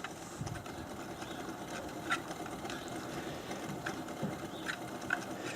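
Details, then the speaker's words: Replacement pump, installed after the previous one vibrated, on a test run at low speed after running at 450 RPM (about 9 in vacuum on 2-in pipe, 20 psi). It runs steadily with a faint internal scraping rub, occasional light ticks and pulsing; cause unknown. "there's a pretty distinct rubbing sound inside of the pump that you can hear and the pulsing"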